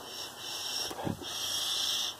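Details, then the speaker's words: 1966 Ford F100 running poorly after a dangling wire caught in the fan and damaged the ignition. Sucking on the vacuum advance hose gives a steady airy hiss that never seals; the diaphragm is ripped and leaking. "It's just pulling air. The diaphragm's ripped. So, that is my problem right there."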